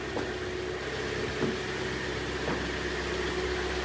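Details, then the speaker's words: Hyundai i40 with a G4NA engine at 60,000 km, which had been knocking in winter after an oil change to Shell: heard from outside, a quiet, even idle with no knock or tick; runs smoothly. "работает тихо работает ровно"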